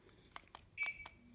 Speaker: I try to turn it on it turns on turns off turns on turns off